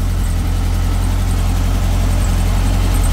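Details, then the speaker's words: Beetle warming up after restart, running sweet and responsive: steady, even low idle with no misses; owner suspects the heavily carboned last spark plug pulled had caused the earlier issue; one plug and leads still to change. "going let her warm up a bit running sweet again very responsive the the last plug I pulled out was very carboned up so could have been the issue"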